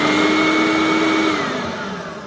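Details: Riccar Supralite upright vacuum (church find) being serviced, tested after reassembly: steady, even motor whine with a clean high note, no rattle or flapping, pitch slides down at shutoff; runs normally.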